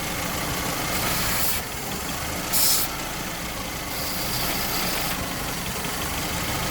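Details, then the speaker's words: Classic car with cylinder one misfire code idles rough and shaky; brake cleaner sprayed near the intake makes short hissing bursts and changes the engine note, revealing a vacuum leak from a ruptured paper intake gasket. "what's happening is an intake gasket there's a paper gasket between the intake and the engine that has ruptured and it's causing it to leak vacuum"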